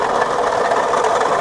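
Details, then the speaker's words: Crunchy, rattling grind at idle over the engine note from a badly wobbling pulley beside the alternator, identified as a failing water pump, likely not cooling well. "yeah that's a water pump which uh you know means it probably isn't functioning very well you know at keeping the car cool"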